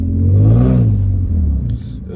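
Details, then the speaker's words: Infiniti G35 coupe driving at the speed limit, muffler not fully on and flex pipes leaking: loud, coarse low rumble swelling as the car pulls then settling, idles like a tractor; exhaust leak, fixed by replacing flex pipes. "all right this just sounds horrible oh my god"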